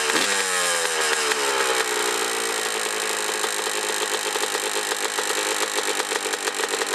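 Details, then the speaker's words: 2003 Honda CR125R two-stroke, low hours, top end never rebuilt: sharp quick top-end tapping that speeds up with revs. Owner suspects piston slap, a sticking power valve or reeds, with a piston and ring job planned. "definitely noise in the top end sounds like maybe piston slap or something going on"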